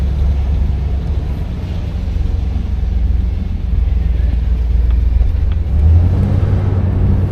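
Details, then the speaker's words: 1986 Chevrolet Monte Carlo SS T-top, V8, driving with smooth shifts through first and second to about 25 mph: deep steady rumble, no rattles, ticks or exhaust leaks; engine and exhaust healthy. "First impressions, everything sounds good. I don't hear any rattles or anything, no exhaust leaks."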